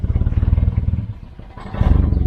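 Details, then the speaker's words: Volvo 940 Turbo just bought, idling as found: deep rapid puffing chuff, about a dozen pulses a second, swelling on a throttle blip; loose exhaust blowing at a joint and drying everything out, owner fears the exhaust may drop. "we've got an exhaust blow which is drying everything out"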